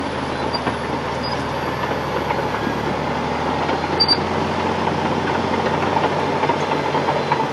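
Steady heavy clanking and rumble from the tracks as the machine travels, with a few faint high chirps; ordinary track chatter, nothing wrong.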